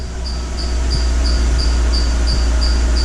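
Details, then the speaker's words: 2012 Mercedes-Benz GL450, engine running while the air suspension pump raises the car after rear air spring replacement: sharp high chirps about three a second over a steady hum, from the drive belt; no air leak hissing heard. "I'm not hearing any hissing sounds. Ignore that chick chick sound, that's the belt."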